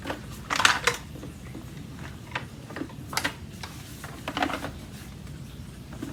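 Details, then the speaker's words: Aeros U162C upright vacuum cleaner, new from the box, shaken with no motor running: irregular light plastic clattering and ticking from a loose plastic piece and its screw, meant to fit underneath the motor, rattling around inside. "okay there's something in there rattling around what is rattling around in there"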